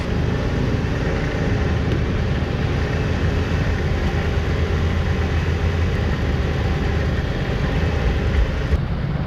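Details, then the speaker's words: 1988 Chevrolet Caprice Classic wagon, carbureted, first run on its own in 15 years, running off the fuel tank, some vacuum lines missing: low, steady rumble with even beat, no knocks or misses; normal idle. "we got it to run on its own power right running off the fuel tank runs great honestly"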